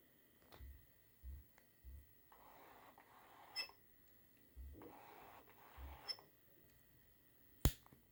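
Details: Tamron SP 35mm f/1.8 autofocus lens, a few weeks old, gives two rough scratchy whirring bursts each ending in a sharp click; started in Live View AF, then also in viewfinder AF.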